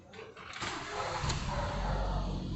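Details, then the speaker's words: 2016 Ford EcoSport with a 1.6 Sigma engine, after cleaning and greasing a starter motor that stayed engaged: the engine cranks briefly and catches cleanly, settling into a steady low idle with no grinding; normal engine start. "Aí é só lavar tudo, engrachar e ele volta a ficar normal de novo. Agora o funcionamento dela correto já no lugar."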